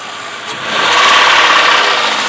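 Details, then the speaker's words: 2003 Chrysler Sebring convertible LX 2.7-litre V6, blipped from idle: rapid knocking rattle rising with revs, suspected rod knock, quiet at idle; owner notes these engines are prone to sludge, heavy sludge inside, before Tribotex treatment; unconfirmed. "that's good so i'm sure that knock you could hear these motors are prone to sludge"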